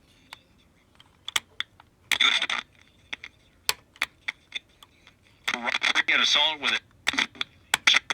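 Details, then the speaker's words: Philco 41225 radio: irregular sharp crackles and pops with sound cutting in and out, traced to a dirty switch making intermittent contact. "yeah it's this switch damn is the switch dirty how do i get spray in there though that was it"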